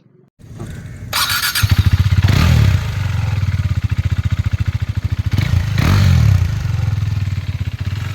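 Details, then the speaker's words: KTM 390 single (one of two single-owner bikes: a 2017 BS4 Duke 390 at 14k km or a 2015 BS3 RC 390 at 13k km), ECU checked, seller reports no complaints. Crisp even single-cylinder beat with two clean throttle blips. Normal running. "അപ്പൊ ഇതാണ് കേട്ടോ വണ്ടിയുടെ engine sound. എഞ്ചിനൊന്നും യാതൊരു കംപ്ലൈന്റോ കാര്യങ്ങളോ ഒന്നും വന്നില്ല."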